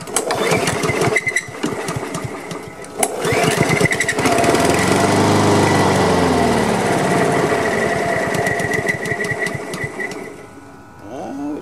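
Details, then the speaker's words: Honda HRM215 lawn mower, choked and primed after sitting bone dry, fresh gas and freshly cleaned carburetor: runs on the prime, surges unevenly for several seconds, then fades and dies; fuel starvation, fuel lines and on/off valve to be checked (fuel line was clogged). "this is not going to go as fast as I'd hoped I know I put fresh gas in it and I just cleaned the carburetor so what I'm gonna do I need to check these fuel lines from here check the check this on/off valve and make sure there's gas getting to the carburetor"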